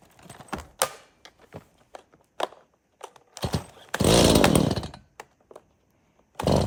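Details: Stihl MS170 30cc chainsaw, unrun for years, after service (fresh fuel, cleared spark arrestor, new bar, air filter and spark plug): pull-cord clatter, then it fires and revs in crisp bursts that pick up cleanly. Running fine.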